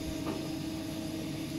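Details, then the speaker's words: Saw cutting a 25 mm stainless steel rod at slow speed to break in a new blade: smooth, even steady hum with no chatter or squeal; cutting faster starts chatter. "I'm running real slow, but because I need to break in the blade."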